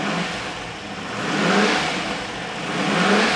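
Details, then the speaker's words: Rover V8 4.6 engine on a bench test cell, front pulley converted for left-hand drive: clean revs rising and falling smoothly through two blips, no knocks or misses; rattle is the exhaust extractor pipe; lambdas, throttle, fuel pressure and thermostat confirmed good. "one happy engine obviously we've bench run it we know lambdas are working"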